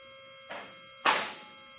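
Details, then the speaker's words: New Advantage lift raising to the top for the first time: two separate safety lock clicks about half a second apart over steady pump hum, locks not yet adjusted so they don't click simultaneously. "You'll hear the locks clicking as it's going up through each one of the holes. At this point, we have not adjusted them, so they're not clicking all at the same time."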